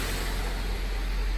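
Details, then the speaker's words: 1995 Honda Civic Si hatchback idling, heard inside cabin after reinstalling original OEM lower motor mounts in place of solid eBay mounts: low even rumble, no buzzing or vibration; quiet, smooth well-isolated idle. "then inside it's also a lot quieter you know I'm not hearing the - you know vibrating or anything like that so it's just quiet as can be"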